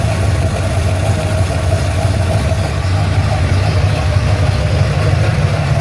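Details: Ford Falcon XC GXL's restored 351 V8, warm with thermostat open, while idle is adjusted: an even, deep, smooth burble a touch high with no misses or knocks. Normal warm idle.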